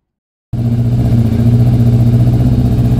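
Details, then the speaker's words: Yamaha Thunderace YZF1000 1000cc: engine bursts into life and runs a little rough and uneven at fast idle, as if starving for fuel; fuel lines thought to be kinked by tank routing, stopping flow. "you have to be careful with the routing of the fuel lines I think they were kinked up there and that stopped the flow"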